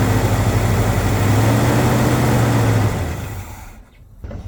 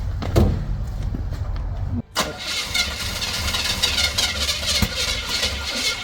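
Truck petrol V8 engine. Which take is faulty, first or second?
second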